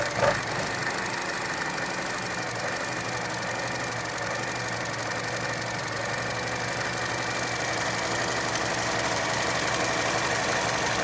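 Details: 2012 Chevy Cruze Gen1 1.4 idling with dipstick out: irregular lumpy idle with hissing; had sprayed oil, presumably from the dipstick tube, on highway, suspected failed PCV check valve or valve cover seal, unconfirmed.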